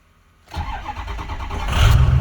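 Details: 2005 Ford F-250 6.0 diesel after camshaft position sensor replacement for intermittent cranking no-start: brief crank, catches almost immediately into a firm rising rumble; starts much quicker now. Normal quick start.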